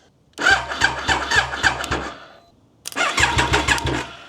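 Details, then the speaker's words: Triumph Daytona 955i project bike, starter wired directly to the battery after weak cranking through the cable, gives two bursts of brisk, even cranking with a quick regular chug; spins strongly with no dragging. "Okay, that cranks over much better. Now that that's connected straight to the battery, I can just um use this little cable to start up the ignition."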